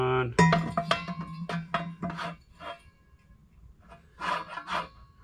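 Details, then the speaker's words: 1963 VW Beetle Type 1 engine with a late-model alternator/generator fan being fitted in a CB Performance doghouse shroud. Rasping scrapes at two or three per second as it turns before tightening; the fan rubs its housing and needs another shim. "sounds like I'm gonna need more shims. So I haven't even tightened it down, you can hear it revving."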